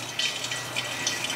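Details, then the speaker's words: Homemade vacuum tank pulled down by a refrigerant compressor, de-watering a car hoist hydraulic ram: irregular hissing splashes and gurgles over steady suction hiss as oil and water hit the tank bottom; vacuum pulling properly. "yep i can see fluid coming down the clear tube i don't know if you guys can see that yep i can hear it oil start to hit the bottom of the tank"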